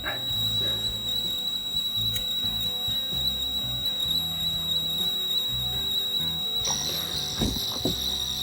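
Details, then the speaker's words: Sharp PC-1251 pocket computer with CE-125 tape deck after repair and new battery, CLOAD test: steady high tone then warbling data chirps; clean, healthy cassette program load. "Then we should hear the beautiful sound of digital data. Here we go."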